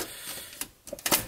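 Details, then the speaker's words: 30-year-old car cassette radio under repair, tape speed and fast forward now fixed; pressing rewind gives a few sharp dry mechanism clicks with no winding whir; rewind not engaging. "but we got fast forward working and eject let's see if we have rewind okay we don't have rewind"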